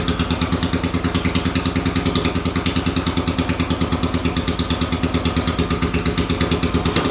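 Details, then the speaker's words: 800cc engine on a homemade pulling tractor with five-speed transaxle, freshly fuelled and first started: rapid, even popping beat at steady cold idle with no stumbling; starts and runs cleanly, later pulled in 5th gear without bogging. "So, just gonna fill it with gas and then we'll start it up. Key on. It's a little cold."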